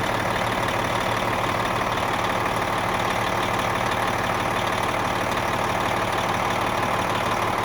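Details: Cabover diesel truck after replacing the worn 1.13-million-mile turbocharger, engine somewhat warm, revved a little: even steady diesel clatter with faint turbo hiss; turbo whistles a little more than the old one, nothing abnormal.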